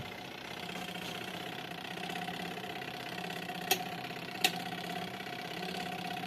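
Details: Artel washing machine, wash side running: a steady mid-pitched whine with a couple of sharp clicks from a failed gearbox, to be replaced. The spin motor is rusted and seized and the drain pump is also being replaced.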